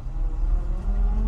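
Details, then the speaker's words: 1991 Moskvitch IZH 412 sedan driving in reverse: engine pulls smoothly with a steady low drone and no gearbox whine or clunk; the reverse gear works normally. "we're going to go in reverse just to make sure the reverse gear sounds works good sounds good"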